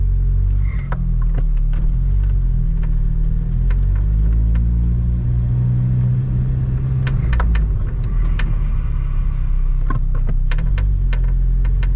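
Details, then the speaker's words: Lotus driving: sharp, irregular creaks from the driver's footwell or left dash over road and engine rumble. Not RPM-dependent, occurs with clutch in and on smooth floors, worse on hot days; felt added to trim panels. "you can hear those creaking sounds i guess it's more of a creak than a squeak but you could even hear it when i was in my totally flat garage which has a perfectly smooth surface happens even when i have the clutch in"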